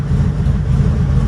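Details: 1972 VW Super Beetle air-cooled engine, started after a week of battery trouble and trickle charging: deep, steady low rumble with an even beat and no misses or ticks; idles smoothly and sounds healthy.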